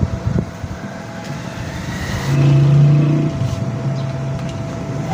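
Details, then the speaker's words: Rewound 2 HP 2-pole 24-slot water pump motor, parallel connection, 220 V, drawing 4 A (rated 8 A on load): steady low electrical hum holding pitch without growl or rattle; normal motor running. "ये देखें दोस्तों, पंप चल गया है। ये आपको एम्पेयर भी चेक करवाते हैं।"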